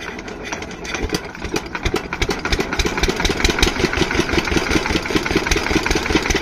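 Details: Single-cylinder diesel water-pump engine, after fixing the no-start caused by fuel not reaching the pump, builds to a steady, fairly even thump of two to three beats a second; running perfectly, no problem, before lifting water.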